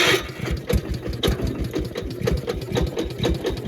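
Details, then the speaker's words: Gravely 812 single-cylinder engine after the coil wire was reconnected in place of a temporary rigged ignition: quick, even pops about twice a second that settle into a steady run; it starts and runs normally. "Yeah, baby. Start. Oh, yeah."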